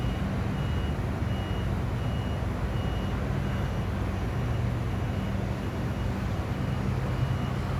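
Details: Crane with diesel idling low, nothing moving after the driver returned: loud high-pitched beep repeating about every half second non-stop; continuous warning beeping.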